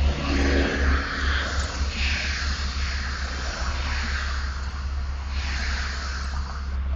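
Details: Camaro with a 347 engine, T-tops off and windows down: low, lumpy idle with an uneven loping beat near three a second under wind noise; engine idling rough, felt more than seen.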